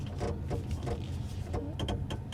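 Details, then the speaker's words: Jaecoo 5 EV descending a mountain road: pressing the brake gives irregular bursts of sharp clicks, about three per second, over road rumble. The owner suspects ABS or traction control intervening; the cause is unconfirmed. "When going downhill, when I press the brake, there's a clicking sound from"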